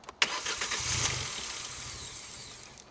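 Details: Abandoned 2016 Hyundai i20 with a new air filter after fire starters: starter whirr, a brief catch and rough surge, then revs fade and it dies within seconds. No fault codes and fuel rail pressure good; it starts, then stalls.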